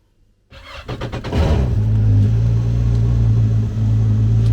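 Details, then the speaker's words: 2013 Yamaha WaveRunner VXR 1800HO, started for 20–30 seconds after oil and filter change (about 2.75 L added) to circulate oil and build pressure: quick crank, catches at once, smooth steady low idle, no misses; healthy. "i'm gonna start it up for 20 30 seconds and let the oil circulate let that oil filter fill up let it build some oil pressure"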